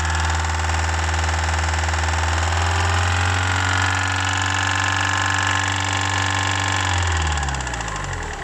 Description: When you give gas it make rattling noise